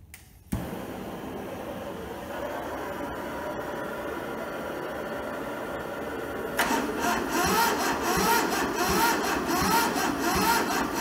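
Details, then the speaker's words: Toyota SDK4 skid steer diesel on jump leads after injector bleeding; slow labouring crank nearly catches then drags; owner thinks the battery is going flat, and it cannot spin the engine fast enough; weak cranking, no start. "I think the battery's starting to get a bit flat, so I'm not just sure how I'm going to go over that yet."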